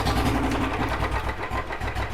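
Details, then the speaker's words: Royal Enfield Bullet 350 single after rebuilt head with both worn valve guides replaced; fires on first kick and settles to a steady, even thump, the earlier knocking top-end noise completely gone; normal idle after starting. "आवाज जो इसकी धड़क रही थी ना उसकी आवाज बिल्कुल खत्म हो गई है"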